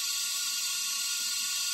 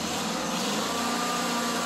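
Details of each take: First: Kohler CV25S engine on an older Ferris mower, leak-down test at about 100 psi with both valves closed: steady hiss of air escaping back through the carburetor, 10 percent leakage; intake valve not seating. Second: Kohler CV25S V-twin on an older Ferris mower, running after lifter and rocker reassembly, before warm-up and oil change: steady, even run at constant speed with no knocks or misses, just a smooth hum. Normal running.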